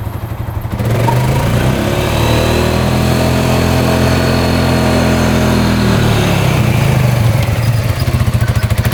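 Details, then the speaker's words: 2013 Polaris Sportsman 550 4x4 ATV single-cylinder engine revs smoothly, holds a steady pitch and drops back to an even idle; running well with all gears working, and a slight clutch squeak. "right it's running pretty good so all the gears work reverse Works high low both work"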